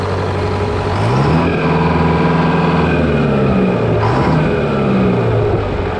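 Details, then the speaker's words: GM 4-71 supercharged two-stroke diesel, about 160 HP, roughly 50-60 years old, driving a Frick sawmill, running just after a secondary fuel filter change. Loud, strong, even bark that pulls up and settles with clean rev changes; running healthy. "charged you got to love it just love the sound of that thing oh my God"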